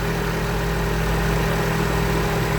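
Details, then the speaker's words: Toyota Vios gasoline engine after cranking-no-start repair (failed hose; injectors and coils fine): starts on one click, steady low even idle hum with no misses or knocks; runs smoothly. "So diretso andar ito. Sige start po. Bingo. Yan. One click."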